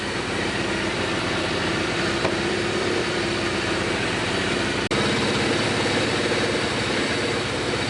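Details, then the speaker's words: Suzuki GS850 four-cylinder, stored outside 10+ years, idling on two-stroke mix because the carburetor leaks badly: an uneven, lumpy beat with stumbles. Cylinder 3's plug was rusted; owner suspects stuck rings in cylinder 3. "Sitting here idling, pretty sure that when I pulled those spark plugs out from the first video, number 3 was rusted, and I think the rings in number 3 are stuck."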